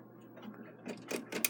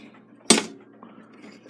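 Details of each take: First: Takeda 30-day short-drop octagon schoolhouse clock, stopped after being wound by a caretaker: faint rubbing then four or five crisp evenly spaced clicks as the key turns on the time side; ratchet catches normally with winding left. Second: Takeda 30-day octagon clock stopped after caretaker winding: on the strike side two sharp metallic snaps about 1.5 seconds apart with no ratchet clicking; mainspring end slipping off its hook.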